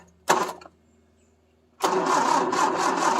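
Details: Triumph Spitfire 1500 sat 12 years, starter solenoid jumped with a screwdriver: a click, a pause, then the starter spins the engine at an even, steady rhythm, turning freely with no binding.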